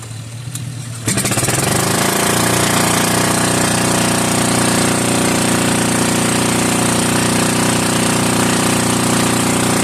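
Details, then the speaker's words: Old Onan 3.0AJ-1R single-cylinder RV generator, first run, with light load attached: catches after a couple of seconds into a loud, steady, evenly firing bark with no muffler; engine and generator head work. Normal running. "So, uh yeah, this generator runs. It the uh the engine runs."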